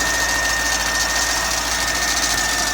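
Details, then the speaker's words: C5 Corvette LS1 V8 right after starting, heard under the hood: thin, steady high-pitched squeal at idle over a hissy engine-bay whoosh. "So we're going to start the car. You're going to hear this squeal right away. You can hear that, right?"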